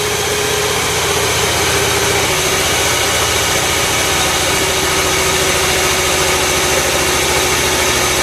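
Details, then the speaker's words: Salvage flood-damaged 2011 BMW E92 M3 engine, test fired after replacing a part with severed wires. Steady idle under heavy hiss with a slightly uneven, loping beat; runs better but not perfect, mechanicals judged okay, cause not pinned down. "engine does run a lot better it doesn't run perfect but it runs better and it runs well enough for me to know that the mechanicals of the engine are okay"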